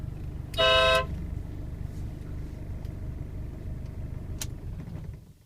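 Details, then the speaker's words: 2001 Ford Ranger 2.5 XLT (UK model), five-speed 4WD, after horn replacement: one short, loud blast of a bright, clear horn tone over a steady idle; the new horn sounds strong and normal, replacing a weak, scooter-like old horn. "I replaced the horn as well um the horn sounded like something of a kids um scooter or something so listen to this much better"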